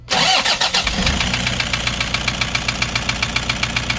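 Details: Toyota HiAce 2KD diesel, overhauled only about 5 months ago, new turbo; right after start a sharp regular knock about four per second over idle; injectors tested good; scored piston on cylinder 1 found.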